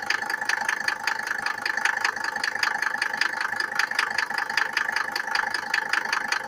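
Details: Mercedes W124 with OM602 2.5 diesel, cold: regular sharp tick about two and a half times a second over a thin hum at idle; knocks when cold, cause unclear.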